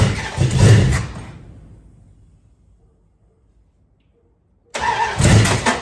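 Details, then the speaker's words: 1973 Dodge Dart Swinger after transmission and engine reinstall: strong cranking that dies without firing, then another burst. Cranks but won't start; owner suspects it needs more ignition timing and keeps advancing it. "Usually when you see that, you need a little bit more timing, so I'm gonna keep advancing the timing until she fires off."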